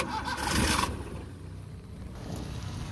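Starter whirs for just under a second and then drops away without the engine catching; it cranks but will not fire.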